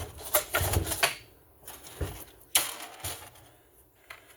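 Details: McCulloch 36cc chainsaw after jammed-starter repair by re-tensioning the recoil spring: several quick cord pulls snapping back cleanly without catching or grinding; starter now works normally.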